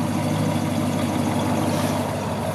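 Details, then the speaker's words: 1966 Chevrolet Caprice 396 big-block V8: steady, even low rumble with a discreet but slightly pronounced exhaust and no knocks or misses; engine running very well, normal idle. "Non, tu vois, c'est pas, ça reste discret, c'est joli, hein. Par contre le son en provenance de l'avant, hein, du moteur lui-même, est très joli, quoi. On voit un moteur qui tourne très bien."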